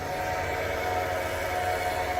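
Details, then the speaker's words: Holden HQ one-tonner with a blown 414ci Dart small-block Chevy, priming before its first start-up with the water pump on: the electric fuel pump gives a steady, even mid-pitch hum with no surging or rattle, running normally. "so with the water pump on that will allow us to turn the fuel pump on and I can hear fuel pump as well"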